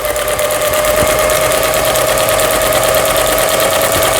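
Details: Pfaff Tipmatic 6120 German sewing machine, about 25 years old, after first repair, zigzag stitching: even rapid stitching chatter about three beats a second over steady motor hum; runs smooth, regular, healthy.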